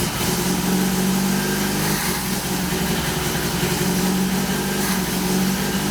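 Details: Saab Sonett V4 running with the valve covers off; timing had been found firing 15–20° after TDC. An even, steady idle with a smooth low drone and no knocks or misses, though it smokes and sprays oil around the engine bay. Normal running.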